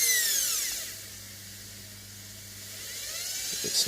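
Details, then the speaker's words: Washing machine motor converted to run on AC-to-DC rectified supply, high-speed setting around 3,000: whine drops in pitch when held back by hand then climbs on release; motor weak, too little torque at this voltage. "So this motor is high, 3,000, the motor is weak anyway."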